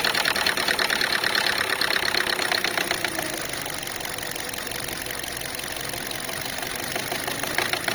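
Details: Chinese car just started, idling with a quick, tinny knocking at roughly three per second, loudest early on; traced to a loose, dangling filler-neck hose.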